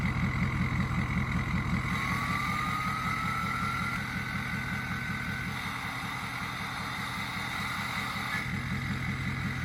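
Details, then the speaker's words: Diesel-truck VGT turbo fitted to a small Honda engine, idling: steady chug, then faint tone rises and exhaust note shifts as the controller sweeps vanes 0–100% and back to prevent carbon sticking; normal vane sweep. "That's the turbo sweeping the veins from zero to 100% and then back to zero. They do this to make sure the veins don't get stuck in the idle position with carbon and gunk or whatever's in the exhaust."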